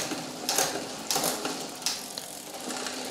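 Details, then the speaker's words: Road bike with front and rear derailleurs: intermittent dry rasping scrapes, a few per second, over the spinning drivetrain as the chain rubs the front derailleur cage in cross gears; trimming the front shifter stops it. "hear rubbing so we're going to trim ok the trimming is done now we can go we can go back here we can go up there and then change the gear you can huge trim it you can hear rubbing shrim again"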